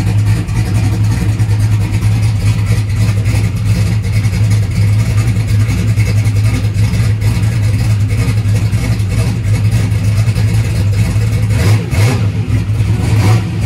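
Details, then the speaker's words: Turbocharged small-block Chevy V8 race car, cold start on brake cleaner after battery changes: deep steady rumble with uneven loping idle beat, sounding healthy, just a big cam. "She looks like a choo-choo train. Choo-choo. All right, it did start up."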